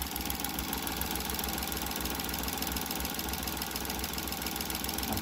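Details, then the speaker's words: Surplus Suzuki DA17V minivan engine at warm idle around 800–863 rpm: steady, even idle with a smooth low hum, no misses or surging; small engine sounds healthy and quiet, normal idle. "So approve. Ang ganda ng tunog guys, oh, pakinggan nyo."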